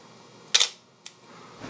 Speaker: And even the smaller camera, like a 35mm SLR, is going to have quite a bit of shutter noise, as you can hear.